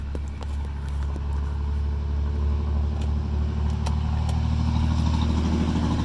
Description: Following valve gasket replacement and ignition switch repair, vehicle will not start.